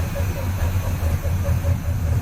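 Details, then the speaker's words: After header collector leak repair, engine at idle: short chirps about five per second over low rumble, an odd squeak from the front end; owner wonders about the water pump, unconfirmed. "i do have some kind of an odd squeak coming from the front end but"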